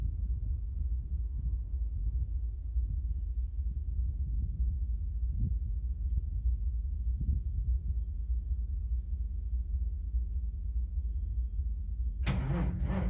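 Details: Caterpillar 3406B diesel, cold: slow steady starter cranking with low thumps about a hundred a minute and no catch; cranks but does not start.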